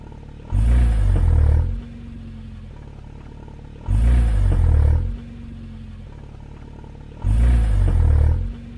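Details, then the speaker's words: Porsche 924 pulling away from a stop: single heavy low thump from the rear, about one every three and a half seconds, also faintly on fast gear changes; owner suspects the driveshaft or CV joint; rear drivetrain clunk. "the other thing is whenever I come to a stop and then accelerate I get a clunk from the rear end just one I also think it's slightly audiable if I change gear really fast accelerating"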